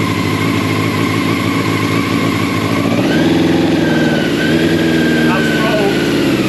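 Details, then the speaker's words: Old Honda CBR600 carbureted track bike, first start after sitting for a long time, choke going off and not yet at temperature: a busy idle, then revs rise and fall cleanly with the throttle with no misses, a bit boggy; it runs. "but that's a win and that's a win the free bike she runs"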